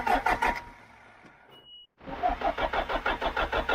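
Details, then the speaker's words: John Deere 310G backhoe diesel with a newly installed computer and a loose relay found; the starter cranks in steady pulses with white smoke but it never fires and runs; cranks but will not start. "Man, that sounds like it wants to."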